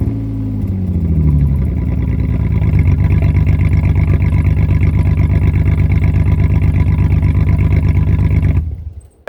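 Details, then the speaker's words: 2004 Jeep Liberty 3.7L with the muffler removed before fitting a new muffler and tailpipe: deep blaring exhaust roar settling to a hard steady pulse at idle, far too loud. "But I just want to hear what it sounds like with no muffler."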